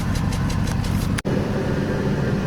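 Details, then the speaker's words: 2005 Dodge Dakota rough idle heard at the exhaust: uneven, lumpy idle with a stumbling pulse and brief dropout, smells terrible, no misfire codes; owner suspects a vacuum leak, else an O2 sensor issue, unconfirmed. "I mean you can hear it see listen to the exhaust it didn't tell you that's she's not running right hear them shouldn't be like that and she smells terrible"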